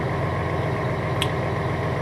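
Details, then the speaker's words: Class A truck diesel in cab, idle bumped up slightly via cruise control to override the automatic 5-minute idle shutdown: steady, deep, smooth idle with no knocks or misses; normal idle. "The other way is to reach over here and turn your cruise control on, and then bump it up just a little bit, and you hear it idle up just a little bit, and now it has overrode the 5-minute idle control."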